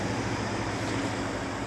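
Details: 2016 Ford F-150 5.0 V8 after fixing a no-crank, no-start: smooth, even low hum with no misses, knocks or ticks; the truck now idles normally.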